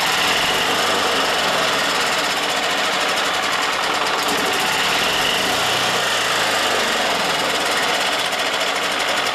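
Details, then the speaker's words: Yamaha G2 golf cart after carburetor, air filter and spark plug tune-up; rapid uneven cranking chatter for ten seconds without catching while piston-driven pump fills the carburetor. "Now we have to pump the fuel through the system on our fuel pump here. It runs off the piston. It's going to take a little bit for it to pump."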